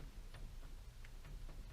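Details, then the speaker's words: Subaru Forester with front wheel raised, rocked back and forth by hand: light, uneven clicks while the shaft stays still and the outer joint moves; worn outer CV joint with play. Noise worsened suddenly, mostly under throttle on the right side. "you can hear the clicking but that amount of movement i can't actually really feel the shaft move at all"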